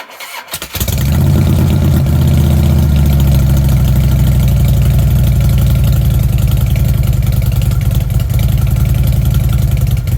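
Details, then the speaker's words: Fuel-injected Harley Ultra, owner notes its battery is getting low: short crank, hesitant first fire then catches, settling into a steady deep loping V-twin idle with an even beat; runs healthy. "she didn't want to fire after right away she kind of rope boom i like it when they go boom instead of rope"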